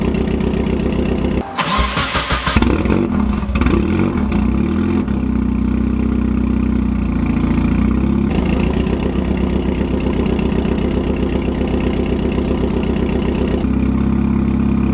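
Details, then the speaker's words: 1999-05 NB Mazda Miata after adjusting valve lash with new shims: cranks, fires quickly, flares, then settles into a smooth steady idle with no top-end ticking, running much smoother than before; normal idle. "that's how it's supposed to sound alright guys well that's all I got for you on how to re shimmy or Miatas head as you can see the car fired right up and runs much smoother than before"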